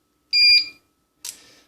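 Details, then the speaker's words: Powercom PCM RPT-600AP UPS (2019, 360 W) plugged into mains: two high beeps as it switches to battery, not detecting mains or charging; caused by two capacitors that lost capacity (10 µF 100 V, 100 µF 35 V). "А от виключився і він перемикається, що він не бачить в мережі."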